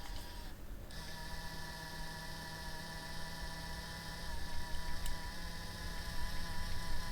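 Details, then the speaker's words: Nintendo Switch worn cooling fan before replacement: steady buzzing whir with low hum running almost full-time even at light load, not at full blast; noisy fan to be replaced. "all right that is what it's doing almost fulltime now uh without even doing anything weird um it's driving me insane"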